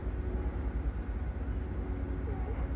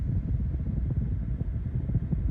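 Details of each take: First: 2014 GMC Yukon 5.3 LS V8 with P0307 cylinder 7 misfire, after new spark plugs and wires, AC on low for extra load: low, even rumble, rpm holding steady with no stumble; normal idle. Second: 2014 GMC Yukon 5.3 LS V8 with code P0307: deep idle with an uneven, lumpy pulse from a cylinder 7 misfire, felt in cabin and seen on the tachometer; persists after tightening intake bolts, number 7 plug crispy, insulator apparently cracked.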